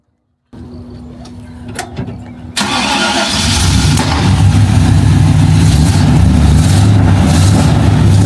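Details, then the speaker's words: Dad's GMC 3500 truck after the exhaust was changed to a straight pipe: starter cranks about two seconds, then it catches into a deep, loud, steady idle with a blunt exhaust rumble and no obvious miss. "It's loud. It sounds good."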